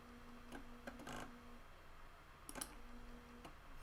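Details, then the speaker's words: Water-damaged Amiga 600 Panasonic floppy drive on a PC lead in Amiga mode: quiet, uneven sharp ticks every fraction of a second to a second as it keeps seeking; owner suspects a faulty ready signal, drive thinks a disk is inserted. "There's some sort of ready signal in there that's not working right."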